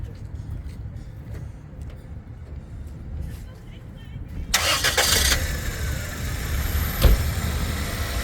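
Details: 2002 Toyota Corolla 1.8 with over 200,000 miles and code P0300, after new coils and spark plugs: catches on the first crank and settles into a steady, even idle with no stumble.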